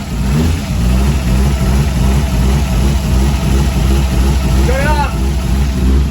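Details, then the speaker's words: Toyota Supra engine fires on the first click and keeps running, but with a lumpy, uneven beat instead of a steady idle; owner says the motor sounds good but is definitely not running right and is not lacking power. "huh no it doesn't sound right at all well the motor sounds good it's definitely not running right"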